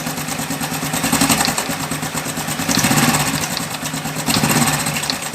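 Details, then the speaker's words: 2020 Honda Biz 110i motorcycle engine revved in waves with a loose, tinny rattle: the cam chain rattling because a faulty tensor had fully extended, confirmed on teardown. "pela experiência parece ser o tensor da corrente defeituoso causando a corrente fazer esse barulho"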